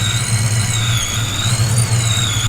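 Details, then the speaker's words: 1988 Ford Foxbody barn find V8 warming up with 42 lb injectors, Power Plus intake manifold, Vortec S-trim supercharger, long-tube headers and custom X-pipe: steady high supercharger whistle over low burbling idle, normal. "Other than that, it's got 42 pound injectors and a Power Plus upper and lower intake manifold, and that's getting fed by that Vortec S trim, which you can hear whistling away in the background."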